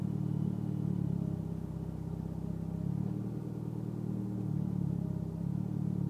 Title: rough idle evo x